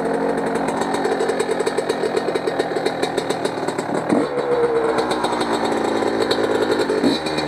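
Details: Motorcycle on its first ride after an engine rebuild, still breaking in, clutch not engaging well: crisp, even firing with quick clean throttle blips and no knocks or rattles. It sounds quieter and meaner and pulls well. Normal running.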